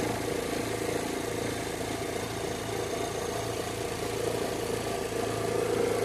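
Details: Chevrolet Zafira with AC on at idle: faint, even whir and thin high whine over the engine, no knocks; suspected alternator belt noise under AC load, not confirmed.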